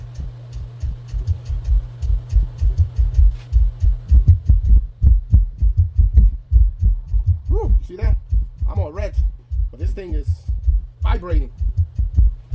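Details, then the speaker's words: RCF SUB 702-AS II 12-inch active subwoofer, came in with no sound, faulty part replaced with identical one, test with music: deep even bass thumps roughly forty a minute, clean and undistorted, full output restored. "Ooh, sounds good. Yes, that's what we want. That's it. We don't have to test it any further."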